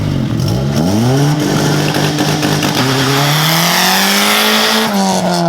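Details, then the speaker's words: Honda EG hatch, front-wheel drive and running rich, on a launch-control launch: the engine flares and holds high revs while one tyre howls in a burnout. The open differential, with no limited slip, leaves it going nowhere. "it that was sick that was just a legit burnout that's funny as hell I thought it would at least like dig but it's onewheel drive so we went nowhere"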